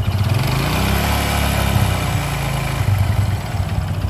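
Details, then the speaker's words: Honda Supra X 125 running small revs up and down with a dull knocking rattle on each rev. It is present from start-up, follows engine speed and gets louder with higher revs without clearing, pointing to a worn connecting rod. "seiring putaran mesin jadi semakin tinggi putaran mesin suara itu mengikuti ya Jadi tidak hilang Nah itu salah satu ciri stang piston yang sudah kena"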